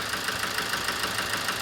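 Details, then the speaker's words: 2007 Toyota Avensis D-4D diesel with low power, ticking and a flashing engine light: sharp regular idle knock that lessens when one injector is disconnected; mechanic suspects that bad injector is overfueling, causing knock and misfire. "so that's the cylinder the cut off on and it actually sounds better let's rev this you hear that there's less knocking when that injector screw off so let's put it let's put it off again that's a bad injector i think that's over fueling"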